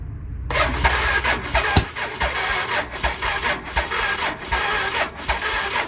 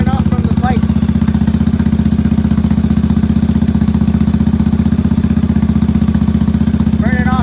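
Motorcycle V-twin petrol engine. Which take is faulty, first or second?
first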